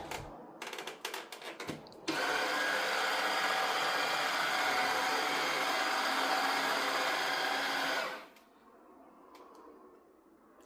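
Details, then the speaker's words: Tineco Floor One S5 wet vacuum showing an error with no suction: steady whirr of the brush roll motor alone, with no suction roar behind it; the suction motor isn't running. "we can heard the router of the brush motor of the brush, but we don't hear the suction. So, the problem is with the suction motor and we're going to open it."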